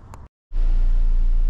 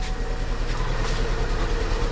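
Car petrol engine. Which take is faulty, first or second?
second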